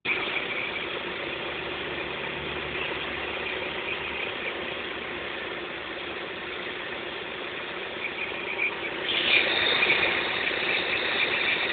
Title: X20XEV Strange Noise Part 3